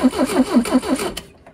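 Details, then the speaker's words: Steyr Puch Pinzgauer 710M left parked so long it gets no fuel, just after a new fuel filter was fitted. Even cranking for about six compression beats without catching, and the fuel pump delivers nothing; priming and later a pump rebuild were needed. "still nothing so we may need to prime the pump I'm going to hook the vacuum back up"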